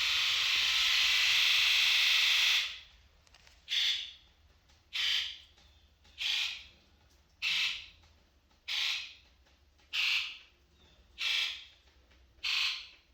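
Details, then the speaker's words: Ford 7.3L Powerstroke diesel 1-ton dump truck, injector electrical buzz test: one long buzz then eight even sharp buzzes about a second apart; all injectors sound better than before and test reports everything good. "So those all sounded a lot better than they were before. First time ever, it says everything's good, so that's a good sign."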